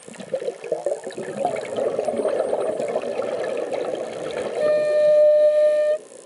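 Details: Mares Proton ICE regulator while diving at 700–800 psi tank pressure: bubbly breathing, then a loud, steady horn-like tone about one second long on each inhale; the regulator is honking and needs service.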